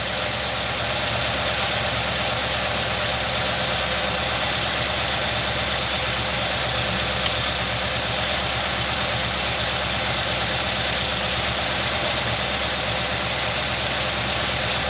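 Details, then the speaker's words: 2018 Nissan NV3500 5.6L V8 after sludge flush: uneven shaky lope under hiss, still misfiring from a failed ignition coil; earlier tapping and rattle gone. "let's start it up and see what it runs like it's still shaking i can tell it's misfiring"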